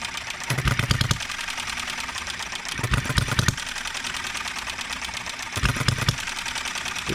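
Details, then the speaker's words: Enjomor 6cc hit-and-miss model engine after moving ignition timing to just before top dead center: clattering firing bursts every couple of seconds with uneven, stumbling beats; still stutters sometimes. "not quite there yet guys that wants to stutter sometimes don't it"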